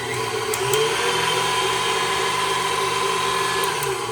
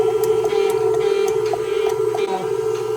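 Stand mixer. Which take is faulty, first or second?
second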